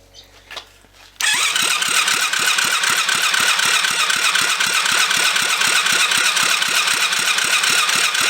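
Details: Rebuilt kids' 110cc quad on electric start, fuel reconnected: steady cranking about four turns a second, never fires; spark plug still not wet, engine still not getting fuel.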